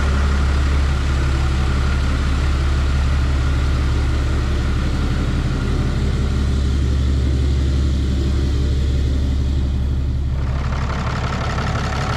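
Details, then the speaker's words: 2012 Ram 3500 6.7 Cummins after cylinder head replacement for a head gasket leak or possible cracked head, coolant refilled: steady, even diesel idle firing on all cylinders with no knocks. Normal idle. "Not hearing any funny sounds. Sounds like it's hitting even on all cylinders. It's noisy in the way that a Cummins should be noisy."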